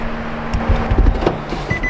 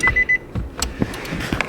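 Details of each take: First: Nissan Juke fresh from auction with seat belt and TPMS lights on, door open: repeated short high-pitched dings at an even pace over handling noise; normal door-open warning chime. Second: Wrecked 2016 Nissan Juke auction car with seat belt and TPMS lights stuck on: three quick, clear high beeps, then cabin clatter; door-ajar chime with the door-ajar and seat belt warning lights showing.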